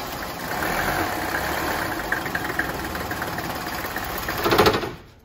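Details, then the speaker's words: 1985 Mercedes 300 turbo diesel wagon, five-cylinder, cold after sitting overnight, before repair: clatters into life, runs unevenly and shakes, then sags and dies; fine once warm or started hot; worn lift pump check valves. "When the engine is cold, when this five-cylinder turbo diesel engine has sat overnight without running, and you get in the car to start it, it will start up and quit. And you do it again, it will start up and quit."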